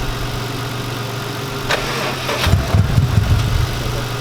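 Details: Subaru WRX first start after 10 months off the road, with injectors removed and cleaned: brief crank, then it catches and settles into a steady low idle with some early unevenness; normal start.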